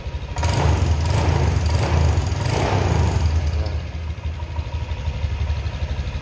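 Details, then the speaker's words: Honda Vario 150 (older model, 2018) after spark plug replacement fixed stumbling and weak acceleration: throttle blips return to a smooth, steady idle with no hesitation; normal running. "nah ini terdengar suaranya itu stabil ya tidak berebut seperti tadi"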